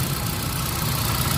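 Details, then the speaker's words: Hyundai Accent petrol engine after fixing P0300/P0301/P0302 misfire and no spark on cylinder 1 by fitting a new genuine coil; check engine light cleared, steady even low idle hum, no vibration or misfire: normal idle. "Ayun problema lang is wiwel. So ayan na sa akin to. Wala na siya vibrate."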